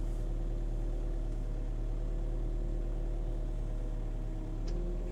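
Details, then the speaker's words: 1998 Ponsse S10 forwarder with Kesla loader, after adjusting the extension boom controls: steady even diesel drone, constant low hum, no knocks or surges; loader moves firmly and precisely, normal hydraulic loader operation. "Siis mun mielestä on hyvä kuorma niinku liikkeelle. On tosi hyvä ja aika jämpti."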